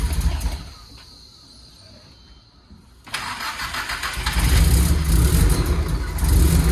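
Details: Nissan S14 being brought back, after adding 1.75 gallons of 93 fuel: a quiet crank, then it catches with lumpy revs and sharp exhaust pops. It is rough and untuned and still needs a tune; flames were reportedly seen previously.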